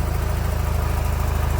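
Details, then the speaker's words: Nissan Qashqai with CVT at idle: rough misfire with a fast low puffing pulse and chuffing sound like in the pipe, engine jumping; smoke or steam from the rear of the engine, oil everywhere; cause unconfirmed. "він троїть запускай але троїть якось так дуже цікаво чуєте і звук такий ніби втрубі"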